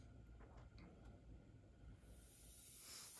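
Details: RAW HM1000x air gun after cleaning and silicone-greasing the black plastic valve piece on the spring: quiet, then steady high hiss creeps in and holds; air leaking past poorly seating valve, later fixed by sanding a ridge off it.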